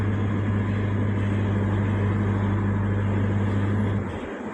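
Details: Toyota after alternator (charging system) repair for a loud noise from the front of the car, driving with AC on max and headlights on: steady, even engine hum, smooth low drone, no belt squeal or chirp; charging reaches about 14 V. Normal running.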